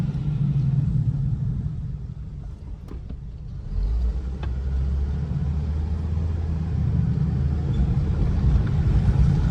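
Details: 2008 Hummer H3 driven slowly after four-wheel drive was switched off: low steady rumble without the popping, binding or clunks. The lock-up on sharp turns was caused by 4WD being engaged.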